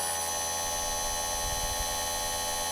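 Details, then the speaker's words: Chainsaw chain sharpener set to 30 degrees, started free without load before sharpening an old chain: quiet, steady high-pitched motor whine with no rattle or grinding; not loud, normal running. "Ну такой, негромкий. Это хорошо."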